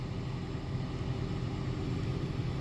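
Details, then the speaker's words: 2013 Toyota Prius C cabin blower after replacing the noisy blower motor assembly. Smooth, steady low whoosh of air with no squeal, scrape or rattle; no more noise, normal blower running. "okay yeah no more noise"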